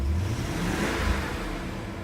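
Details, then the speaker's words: BMW E39 M5 V8 with newly fitted low-mile take-off mufflers replacing holed factory ones; deep smooth rev with even low rumble, no rasp or rattle, nicely muted and more dignified; normal exhaust note when revving. "Much more dignified, I like it."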